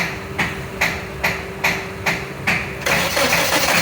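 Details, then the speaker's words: Suzuki Liana hard-starting fault (reported when cold; title says when hot), before the fix: slow, labored long cranking before it finally catches. Ignition current weakens during cranking. "ये देखो, ये गाड़ी start है, लंबा self ले रही है मगर स्टार्ट नहीं हो रही।"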